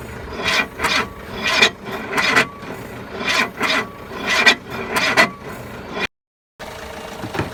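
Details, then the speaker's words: Renault 5 stood for 20 years, on jump pack: laboured rasping crank around 80 strokes a minute that never catches; engine turns far too slowly to start, owner suspects rusted cylinders. "the engines turning over so slow it's just never ever going to fire up"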